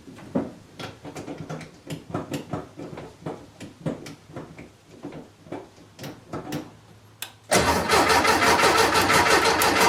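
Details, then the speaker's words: VW Beetle after installing a new Pertronix distributor and coil, fresh gas added; steady starter chug about three compression beats a second, never catching; fuel smell present, owner suspects timing is off and turns to static timing. "Alright, well that doesn't sound great. I smell fuel. So she's getting fuel."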